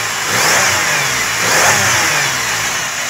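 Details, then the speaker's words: 2000 Pontiac Grand Prix GTP supercharged engine, 151 on the odometer, bought as a parts car; revs blip up and settle to idle with smooth blower whine and no rattle, supercharger healthy. "still good no rattler"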